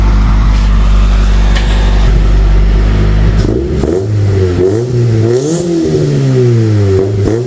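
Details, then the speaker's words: Honda Civic revived after sitting several years, fresh spark plugs, started on stock ECU instead of turbo-tune ECU: steady low idle and smooth rev sweeps without hesitation, running happier. "All right, got the stock ECU plugged in now, so try and see if it fires up. If it doesn't, then it's definitely something to do with the ECU. There we go. She sounds so much happier."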